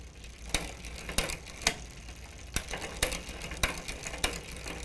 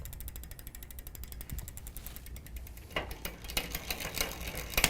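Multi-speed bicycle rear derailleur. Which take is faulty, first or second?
first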